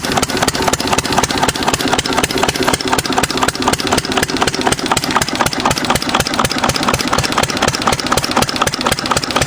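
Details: 6 HP Witte diesel-electric single-cylinder engine, about 80 years old, water-cooled, revived after ~30 years with valve work, oil change and fuel cleaning: slow, steady, unhurried thump about four beats a second; idling sweetly, good sound.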